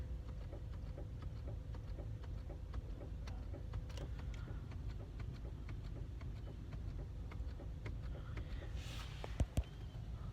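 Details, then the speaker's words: Car with engine running while the headlights are dipped: light, crisp clicks repeating every fraction of a second from the headlight relay activating; normal relay switching, not an issue. "सो ये जो nice आता है थोड़ा बहुत ये like जब हम dipper मारते हैं हेड लाइट्स का तो वो होती है रिलीज के न्यूज़ होती है वो कोई इशू नहीं होता है और राइट"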